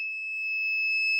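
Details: Capacitor checked on a multimeter continuity test with negative lead to negative; a steady, high-pitched continuous beep across the leads means it is internally shorted and dead; this thick capacitor is described as burnt.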